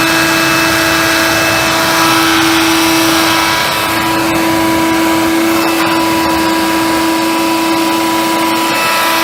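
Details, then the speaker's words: Hoover Convertible/Dial-A-Matic U1124A upright vacuum after quick fix, turning better after flushing dirt out, suction tested; steady even motor whine, constant pitch, no surging or rattling. Normal running. "yeah well that turns a bit better now as well mister flush some dirt out it's tested suction"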